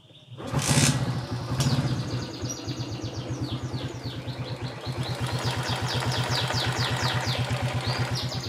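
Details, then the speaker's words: Old Suzuki Shogun 110 motorcycle, started and revved, then settling into a steady, even idle putter that is normal for an old engine. Loose valve clearance is blamed for a clatter, set wide because the bike is used in the mountains. The kick-start was slipping. "Untuk suara mesin motornya ini cukup normal ya, karena seperti mesin tua pada umumnya. Ini normal."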